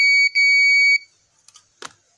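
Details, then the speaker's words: Continuity buzzer tester on Yamaha NMAX 155 (old model) green/yellow-stripe wire, diagnosing error code 61 (ISC fault). Steady high beep about a second with one short break: wire connected end to end. "ini hijau Lis kuning ya benar nih ada warna kuningnya berarti di sini saya sambungkan nah ini terhubung"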